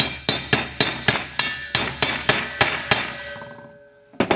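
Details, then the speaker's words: Harness racing sulky wheel, new bearing being hammered into the hub: sharp taps about three a second whose ringing pitch drops lower at the end, signalling the bearing has fully seated. "you hear a different pitch when you're hammering that in, it'll be a lower pitch. That means the bearing's seated. You can kind of feel it and you can hear it."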